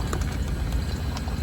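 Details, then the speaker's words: Shipboard CTD eDNA filtering setup, pump run forward at fast speed (8–9) to purge air while priming with bleach: steady low pump rumble with soft, uneven taps. The tapping is air bubbles passing through the hose. "You can hear the tapping of the air bubbles passing through the hose."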